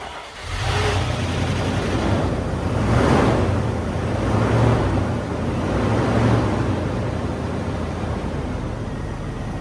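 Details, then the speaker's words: 1996 or 1997 Range Rover P38 HSE V8 barn find, first start after long storage: catches quickly and settles into deep even burble with gentle rises in revs; normal healthy idle. "not that be that easy who would have thought it purring like an absolute K now"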